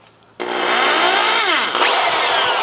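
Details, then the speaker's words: Ridgid R3002 orbital reciprocating saw: motor winds up to a steady high whine with lots of fan air but no rhythmic stroking, the blade end only occasionally moving; stripped gear drive. "you can see that the motor is running but the reciprocating end is not looks like it's moving some gears inside but the motor is not driving it"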